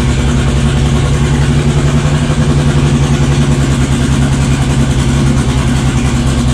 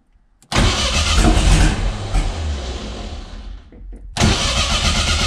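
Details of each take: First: Built 500 hp 2.3 on its first start: loud, deep, lumpy idle holding a steady speed with a constant low drone, running and idling normally. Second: 500hp 2.3 engine first start attempt with oil pressure and fuel pump running: starter churns, engine catches with a few uneven pops, dies back to cranking, then cranks again without running; nearly fires but won't start.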